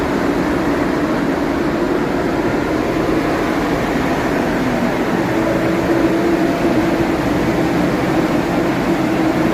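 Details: Nissan after fan clutch and belt replacement, where the old fan ran constantly like a tank: steady, even engine hum with a soft fan whoosh, no fan roar or pulsing. Normal running.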